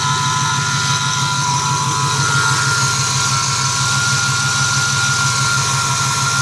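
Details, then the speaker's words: 2008 Ford F-150 4.6 V8 idling, heard under the hood: thin steady whine at one pitch above engine hum, present for a year; mechanic found nothing, owner suspects idler pulleys, unconfirmed. "I don't know if you can hear it on video clearly, but there's a whining noise, and you can clearly tell it's coming from the idler pulleys. Might be the idler pulleys."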